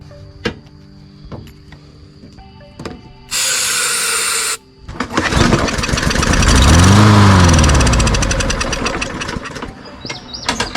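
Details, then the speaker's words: Walmart Hyper Tough push mower that won't start, fuel looked fine, starting fluid in the intake: a few pull-cranks, then brief fast pops that die out; good compression and spark, so a fuel fault, carburetor to be cleaned. "since it popped of like that It clearly indicates we got good compression and spark so we just have a fuel issue"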